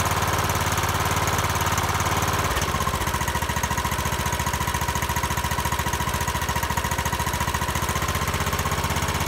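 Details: Troy-Bilt mower after tracing the no-start to the starter that failed under load: catches after a short crank and settles to a steady even thump about three and a half beats a second; healthy.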